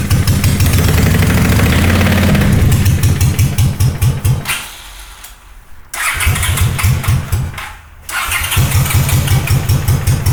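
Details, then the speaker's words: Honda GL500 twin cafe racer project, first start after sitting a long time, on choke with old oil, after wiring loom rework: fires quickly, settles to even idle, sags twice on choke but keeps running; normal start and idle. "So I don't know if you can hear me, but that right there, that's amazing. This bike has not started in a long time."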